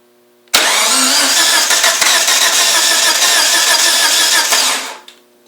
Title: 1g dsm no start